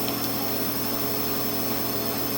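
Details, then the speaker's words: Maytag Model 3000 MHWE300VW12 washer after drum bearing and seal replacement, tested with back cover off on super high spin: steady even whir and water swish, louder without cover, no rumble or grinding; bad bearing noise gone, no leaks. "And it's only louder because there's no cover on it, but that bad bearing noise is gone."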